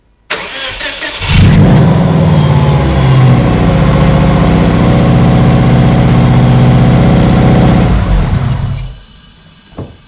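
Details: Supercharged (M90) Subaru Outback after MAF sensor relocation, fitted with the stock plastic factory intake in place of a larger 3-inch tube: engine cranks briefly, catches and settles to a steady, even idle on its own with no misses before switch-off.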